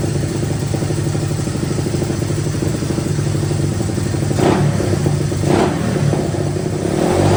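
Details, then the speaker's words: Honda 185S three-wheeler, stock carb ported and converted to E85, O2 sensor in newly welded bung: lazy, blubbery single-cylinder idle with a couple of blips; air-fuel about 9–10 at idle versus 14.7 target, very rich mixture. "So as you seen at idle, it was like 9 or 10, and we want that to be around 14.7,"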